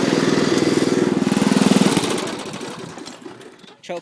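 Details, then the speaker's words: Homa 50 racing tractor running almost on pure Seafoam fed through the intake: rapid even chugging, then the firing fades and the engine dies, choked by the smoke. It needs a high idle. Engine stalling. "Choked out by the smoke. Let's start it up again. Need to keep a high idle."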